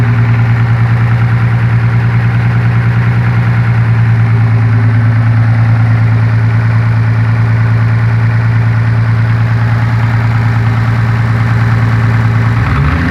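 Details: Supra with a new 7M-GE non-turbo engine, driven twice: at steady idle a regular light tapping of about three per second, which sounds like it comes from under the valve cover. It suggests a top-end tick rather than rod knock.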